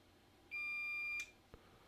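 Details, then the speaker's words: Soldering station sounds one steady high-pitched error beep in a quiet room during a 2015 MacBook Pro A1502 logic board repair. It shows an SC error; the tip is suspected broken, possibly cracked from overheating. "okay my soldering station just decided to freak out on me not exactly sure why it's doing that um fx yes oh got an sc error it's usually caused by a tip that's ins and correctly inserted into the handle"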